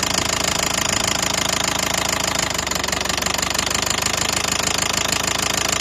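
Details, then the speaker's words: 2012 Nissan Qashqai 1.5 diesel idling: mild but sharp steady knock about three per second from the top of the engine, began suddenly on a morning start. "проблема в следующем раздается стук не сильный такой но стук исходит из верхней части где-то вот"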